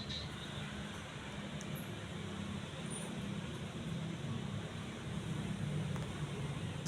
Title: Majestic deluxe decorative ceiling fan (after fixed blades and bad capacitor)